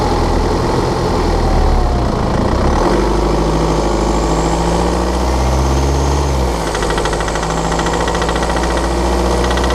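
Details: BMW F11/F10 520d 2013, N47 diesel: loose, uneven, hard-edged metallic ticking, when cold and under load at 1500 rpm; a faulty injector, pinpointed by ISTA test.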